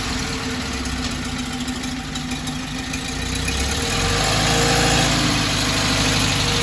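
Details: 1968 Porsche 912 air-cooled flat-four with rebuilt, tuned carburetors after fixing a bad fuel hose and doubled-up O-ring: steady, even idle rising slightly then settling smoothly; healthy, though an exhaust leak remains.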